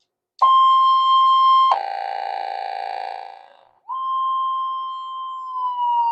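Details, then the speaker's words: Repaired Minelab SD2100 metal detector switched on with cancel coil, battery possibly low: clean high beep drops to a lower buzzy tone, then settles into smooth threshold hum; slight odd phasing normal on cancel coil, no fault. "there it goes. It's on the cancel coil, so sometimes they sound a bit strange on the cancel coil. It's just a little bit of funny phasing effects on the coil."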